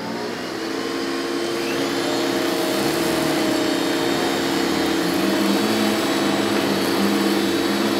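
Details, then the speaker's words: Metal-base Hoover upright vacuum, model 1070: a steady high motor whine with a faint dry, rough edge under the airflow. The motor bearings may be dry and could use grease. "I think those bearings could use a little bit of Grease again because these hoses had a tendency to crack and mine is probably starting to crack"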